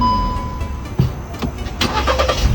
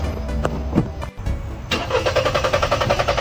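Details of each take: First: Car that wouldn't start because a leaking carbon canister purge solenoid made the mixture too rich; after the valve was freed and refitted, a click, brief crank, then it starts first try into a steady, even idle. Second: Car that would not start right after refuelling; fuel lines, pump, plugs and throttle body had already been serviced. Starter cranks steadily at about four beats a second for five seconds without firing; the mechanic suspects a faulty purge (canister) solenoid.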